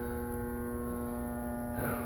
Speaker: Moment of truth. Doesn't look too good. It's sort of running, but nothing's happening.